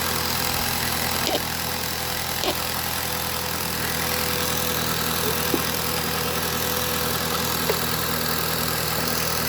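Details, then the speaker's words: 2016 Jeep Patriot with misfire codes P0302, P0171, P2096 and P000A, after clearing codes: steady, even idle with no shake, running smoothly; charger noise in the background. "Oh yeah, look at that. Camera's not even vibrating. It's running so smooth."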